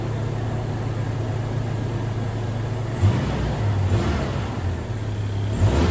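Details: 2002 Toyota Tacoma with 270,000 miles after replacing coil packs and fixing vacuum lines: engine catches and settles into a steady low idle, then quick even rev blips with no misfire.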